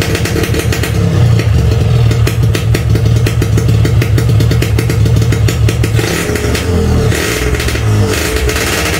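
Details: RX King standard two-stroke, hard to start when cold, runs on choke after a cold start with rough crackling pops and throttle blips; normal cold warm-up behaviour before the engine reaches temperature.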